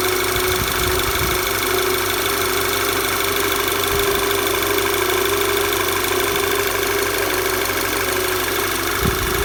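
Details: VW Tiguan at steady idle: faint, uneven knock under the engine drone with a light tone riding on top. Engine knocking at idle, cause unclear.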